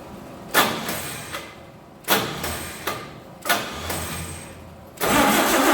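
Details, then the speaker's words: 1948 Chevy truck six-cylinder, first start after 30 years, new number one plug wire end, diesel in the oil pan: several short cranking bursts that briefly catch and die; no start because the ignition points stopped opening, points readjusted. "okay so my points stopped opening and closing so I readjusted them set them set them again let's start it back up"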